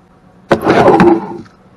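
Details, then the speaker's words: Club Car electric golf cart, after all rear-end bearings were replaced: drive motor turned over once by hand gives a single rough, gritty scraping rasp; the motor still works but is noisy inside. "once we replaced all the barons stuff in the rear end we still had a noise and we found that it's this motor that still does operate but it's super noisy"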